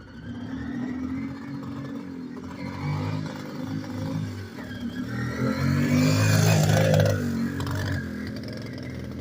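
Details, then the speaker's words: Kawasaki KLT160 revived after years of not running, being ridden. The uneven, lumpy note stumbles and bogs, almost two-stroke-like. It is suspected to be running too lean and needing a bigger main jet. Poor running engine. "Alright, so we got it running, but she's not running so good. It's probably gonna need a bigger main jet."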